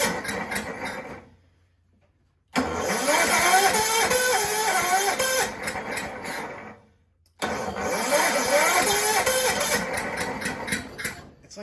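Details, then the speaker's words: Toro 6.5 hp Recycler push mower found roadside, premix dribbled into throat, plug swapped: catches and sputters a few seconds, dies, catches again, won't keep running; low compression felt. "it's like it it's it just gets there and just can't get over the hump that compression doesn't feel the best"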